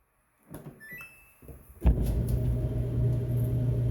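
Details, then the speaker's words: Samsung console-top dryer that previously wouldn't start or spin, after replacement of the belt and idler pulley: clicks from the controls, then a steady low hum as the drum spins up smoothly with no squeal or thumping. Running normally. "And now we have a Samsung dryer that will actually turn on and is running just fine."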